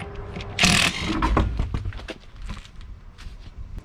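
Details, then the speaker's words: Wheel spun by hand with the parking brake off and front wheels chocked: irregular rasping scrapes suggest the brake is dragging more than usual, possibly from rust buildup, unconfirmed; stones in the tire tread can mimic this. "we can just give it each of our Wheels to spin and we're going to be listening for any odd sounds this one sounds like it's dragging a little more than than usual could just be build up of rust"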